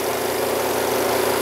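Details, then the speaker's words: Panda B45 portable twin-tub washer (10 lb), about a week old, separate spin compartment run about a minute and a half: steady fast even whirr, water draining out, clothes come out damp, no knocking or scraping. Normal spin cycle. "see that the water comes draining out of the tree tube here and this really moves fast it really spins it good"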